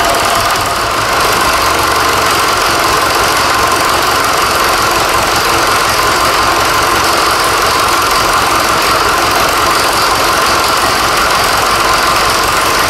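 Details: Fordson Super Major tractor, first run after engine swap (bought seized non-runner), new front tyre and throttle linkage fitted: steady, even diesel clatter with firm unchanging beat, no misses or heavy knocks; engine runs healthy.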